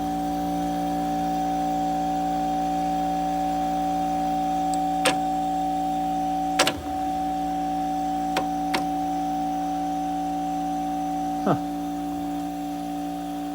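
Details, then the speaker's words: Late-1960s Sears Coldspot 6,000 BTU small-chassis window air conditioner on start-up: loud steady electrical hum with clicks, unit not starting normally, no smoke; a problem. "Huh, Houston, we got a problem. I don't see any smoke, so that's a good sign."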